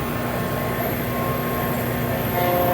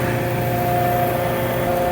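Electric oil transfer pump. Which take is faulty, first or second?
first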